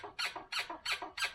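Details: Yamaha YZ250F (2003–05 era) motocross bike, rear end pumped by hand: high, raspy squeak about three times a second; dry, worn shock and linkage bushings, rear shock itself fine.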